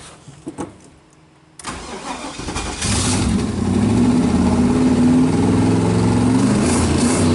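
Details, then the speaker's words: Twin-turbo LS V8 Firebird on Speeduino engine management, hot restart: cranks and catches, then idles loud and lumpy with an uneven beat settling slowly; after-start enrichment not yet tuned, cold start tune also unfinished. "I got a dial in the after starting Richmond wall it's hot again it's all kinds of tune-up stuff I need to do"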